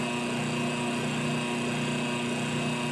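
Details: Washing machine wash motor bench-wired through a timer switch and capacitor, cycling forward and reverse: steady motor hum with constant pitch, no grinding or scraping; runs smoothly.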